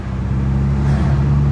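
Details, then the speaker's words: Car that previously wouldn't shift, with issues traced to a failed vacuum pump; brief steady low drone, constant tone, no ticking, rattles or misfire; runs fine. "hey everything's good car seems to run fine"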